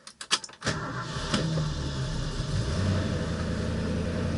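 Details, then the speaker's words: 1966 Mustang V8 cold start on choke with a pat of the gas: a few quick cranks, then it catches and settles into a steady, even choke idle with no knocks or misses; runs great. "gas oh gosh this thing runs great yeah I'll spin up the a little bit warm up the oil back the choke off about halfway and sounds good we are ready"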